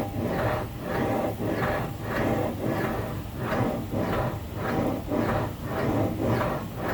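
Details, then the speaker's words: 2014 Ford Taurus with electric power steering (EPAS), 118,000 miles, no codes, heard from outside: rough scraping swell about once a second each time the wheel turns; worn steering rack bearing. "it's got 118 000 miles on it i guess so every time you turn the wheel you're hearing that sound here it is again from the outside with the car"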